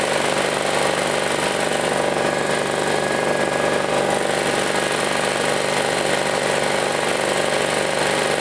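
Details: Chinese Honda-clone generator recovered from a field, repaired and started with wiring hooked up to test power output: steady, even single-cylinder drone at constant speed, no misses, knocks or hunting, no smoke, good power; normal running.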